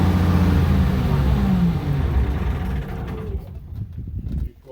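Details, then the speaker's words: Case 2470 tractor diesel, started with new batteries on a 70°F day. Uneven rumble that sags and nearly stalls when throttled down, then recovers when throttled up. Owner suspects misadjustment or bad fuel; cause is unconfirmed. "I throttled it down a little bit, and it went a lot, and I throttled it back up, and it caught back up, and then it's like it's not adjusted right."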